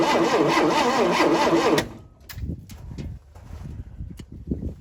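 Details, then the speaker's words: 1971 Chevy Nova, some fuel down the carburetor, cranks at an even pace for under two seconds without catching or firing; no spark found, with the distributor cap next to come off to check the points. "so we have no spark. So, I'm going to pull the cap off. See how the points look."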